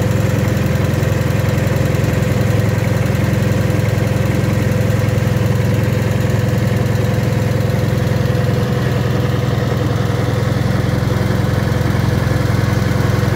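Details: Wisconsin THD air-cooled twin on the bench, fitted with a flush head that tucks into the shroud; even, steady low thump at constant speed, no ticks, knocks or misses; the head makes it quieter; normal running.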